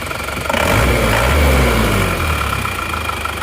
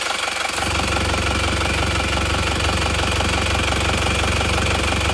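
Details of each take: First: Engine at about 30 °C, very cold, idling and revved, with owner complaining of heavy blow-by: steady even idle, soft and smooth, no tapping; engine sound is normal, although smoke shows at the dipstick. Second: Original, unrebuilt engine at idle, cold, dipstick pulled, crankcase vent routed rearward instead of to intake manifold: rapid rhythmic puffing about three per second with smoke from the dipstick tube; no tappet noise; heavy crankcase blow-by.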